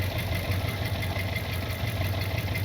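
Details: 1979 Corvette V8 with a smoking problem, two valves replaced, no choke connected, idle brought down from too high before warm-up: a low, steady idle with an even burble and no obvious knock, sounding healthy.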